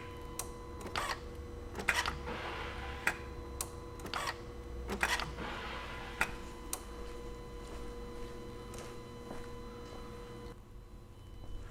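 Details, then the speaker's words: 2004 VW Jetta TDI BEW diesel after fuel filter replacement (new lift pump fitted, old one weak, car cranked without starting): key bumped to build pressure and purge air, relay click then soft buzzing whir about a second each turn; normal lift pump priming. "So I'm going to bump the key, see if we hear the pump run, see if we build pressure up. I'm going to do this a few times to try and purge the air out of the system."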